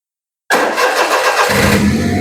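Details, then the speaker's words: Perodua Viva manual with its original ECU refitted, in a diagnosis of a sudden ECU failure. Silence, then about a second of quick cranking before it catches and settles into a steady idle; normal start. "Oke, start jalan engine Kita tengok keadaan engine berpusing dan kita akan ya. Kereta sudah hidup kita akan matikan menggunakan ECU yang asal."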